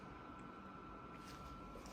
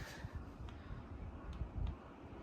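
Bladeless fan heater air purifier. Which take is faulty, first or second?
first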